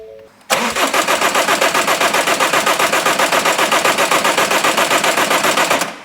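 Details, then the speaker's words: Ford Mondeo Mk5 2.0 diesel that cut out and wouldn't restart, cranked after the third fuel prime with a low fuel pressure warning: steady even cranking, about four turns per second for five seconds, without firing; air still in the fuel system. "That little spanner is showing that there's low fuel pressure because of the there's still air in the system. This is the 3rd prime. I'm going to give it a crank now and see if it goes."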